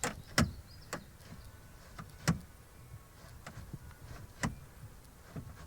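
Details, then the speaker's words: Lada Vesta driver's window with the door card off: sharp, irregular clicks with a faint motor whirr as the glass moves; caused by a loose clamp holding the glass to the regulator slider, fixed by tightening it. "Когда его считаешь, какой-то как щелчок есть. Ну, давайте проверим затяжку. Тоже где-то видел информацию, что плохо затянутый бывает."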